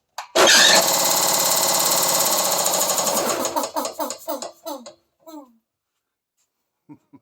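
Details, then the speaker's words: Workshop air compressor whose pump developed a knock while the electric motor is fine: loud clattering run, then winds down through slowing, uneven knocks as it stops; the pump has failed. "Yeah, if it ain't one thing, it's another freaking air compressor. Start to get a knock in the in the pump section."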